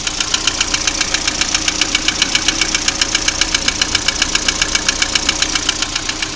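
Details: Lada Priora engine at idle: sharp, very regular knocking about two and a half per second over a steady idle; clear mechanical knock, cause not yet pinned down.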